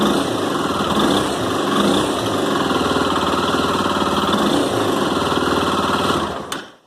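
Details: Honda CB 300 motorcycle started in the morning, cold: fast, busy, fairly irregular ticking and snapping inside the engine over a quick single-cylinder idle. Owner reports it is louder at mid revs. Ticking on cold start, cause unknown.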